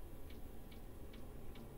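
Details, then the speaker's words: Diesel air heater newly installed under the bed of an ambulance camper conversion, first successful start after the fuel pump stopped and the fuel supply was checked: combustion catches, with soft even fuel pump ticking over a low steady rumble; normal running. "I can hear the engine I can hear the combustion it changed the sound it's running yeah"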